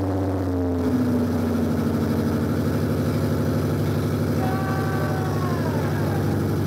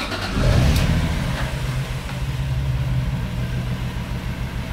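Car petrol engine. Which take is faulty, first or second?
first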